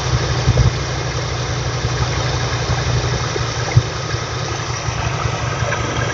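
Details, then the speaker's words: 1979 GMC Sierra Grande C35 V8 with run-on (dieseling): after backing the idle screw out slightly, the idle settles to a low, steady, calm beat with no stumbling or hunting; normal idle. "So that's a little bit more calm. It'll just periodically make the adjustments as I need."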